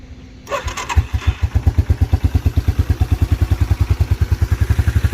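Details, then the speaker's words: 1987 Yamaha Moto-4 YFM350ER ATV, new carburetor, ice-cold engine, no choke: fires within a second on the starter and settles into a steady, even thump about ten beats a second, exhaust growl; healthy cold start. "started right off no choke ice cold engine [Music] icy cold [Music] exhaust growl back there sounds really good"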